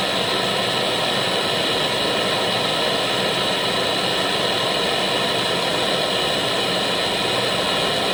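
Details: Hyundai Starex diesel with a hard-start problem, idling steady and even, constant hiss over it, no knocks or misses; heater plugs heated 8 to 15 seconds before starting.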